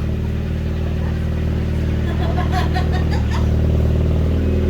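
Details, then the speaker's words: Ford Fiesta after exhaust fix: deep, steady exhaust drone rising smoothly on the rev with no blowing or farty sounds; exhaust now sealed and healthy. "I like that [Music] and it's nice to not hear blowing and silly farty sounds that sounds good"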